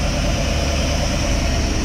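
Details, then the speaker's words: 1987 K5 Blazer with a freshly rebuilt small-block V8 and TBI, first run after years sitting with old fuel, cold and without coolant. Good oil pressure and a deep, even, quiet idle with no ticks or knocks. "look at them oil pressures oh and listen how quiet it is blows my mind"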